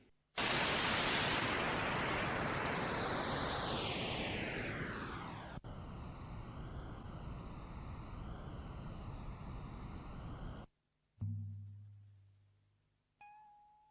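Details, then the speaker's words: New-old-stock Type II metal cassette, second side: harsh, noisy playback with a falling sweep and warbling pitch from mistracking and wow and flutter, as sticky, soft-binder tape drags; fixed by silicone dry lube. "This one is very wrong in a way that, well, have a listen."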